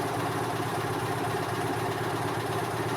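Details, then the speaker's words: 2002 EZGO TXT gas golf cart on a GPS speed test: the engine holds a steady raised speed with no foot on the pedal instead of dropping to idle; the governor cable to the carburetor throttle is stuck. "Okay, sounds like we have a stuck cable. So you can see I haven't moved my foot."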